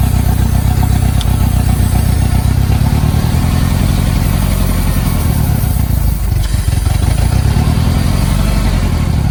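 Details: 1990 Mitsubishi Mighty Max at operating temperature on old spark plugs, before Sea Foam: lumpy, choppy idle with irregular stumbles in the low thrum; misfire at idle.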